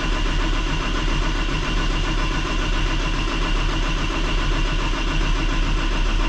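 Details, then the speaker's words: Cummins ISL9 diesel after in-frame rebuild for dust damage, fuel system not yet bled at the filter head: strong, even cranking with no clanks or uneven drag; sounds good cranking. "Sounds good when it's cranking."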